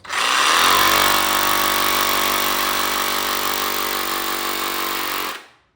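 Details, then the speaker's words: Cordless DeWalt 18V tool on a new 7.0Ah replacement battery, fully charged, after the worn original was dying out: strong steady motor whir holding full speed with no sag, then clean spin-down; normal running. "It really runs. These batteries work fine and and they fit in your charger just like your regular one would."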